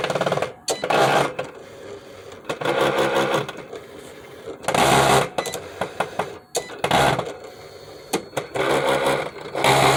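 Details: Cricut Explore Air 2 cutting machine making loud bursts of harsh mechanical grinding and clacking when turned on and cutting. It won't load the mat or cut.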